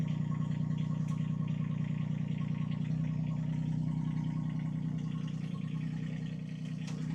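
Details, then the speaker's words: IRE20 Chinese mini excavator after draining overfilled hydraulic fluid to correct sight-glass level: steady low diesel idle with an even beat, no whine or groaning from hydraulics, smoother than when overfilled; normal hydraulic operation. "Oh, that was nice and smooth. Oh, that sounded better. A lot better, too."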